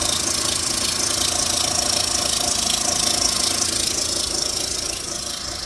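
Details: 2004 Mitsubishi Lancer Ralliart with new coils, plugs, belt tensioner, idler pulley, harmonic balancer, serpentine belt and valve cover gasket; steady idle with a sharp even tick about three times a second, source unclear, valvetrain or knock.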